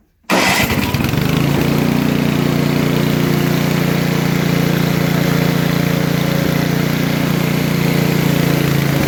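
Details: Briggs & Stratton Brute snowblower that wouldn't start, likely water or ice down the side; once dried and started with the electric-start button it catches at once and settles into a steady, even low drone with no stumbling or surging, running clean.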